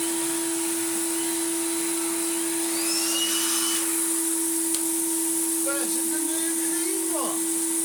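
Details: Refurbished Numatic BX190 commercial vacuum with original motor: steady even motor hum holding one pitch with soft airflow rush, no surging or rattles; running healthy after restoration.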